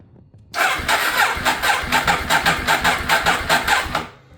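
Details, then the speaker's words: Ducati 848 after rebuild with new timing belts, first start attempt: starter cranks in a regular chug about two and a half beats a second for three seconds without catching; battery possibly low, engine later starts and burns off oil. "Okay. Maybe just low on battery. Okay. Sounds like it wants to. It's almost there."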